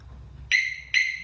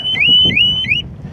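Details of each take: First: Normal arming chirp from a Harley-Davidson Smart Siren 2 alarm installed on a 2020 Harley-Davidson Tri Glide, fuse just reinstalled, fob on seat: two sharp high chirps about half a second apart, confirming the alarm is working. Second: Harley-Davidson Smart Siren 2 alarm on a 2020 Tri Glide triggered by violently rocking the bike: loud high-pitched siren sweeping upward about three times a second, then stopping; motion detection needs violent rocking on the trike, and the fob's proximity shuts it off.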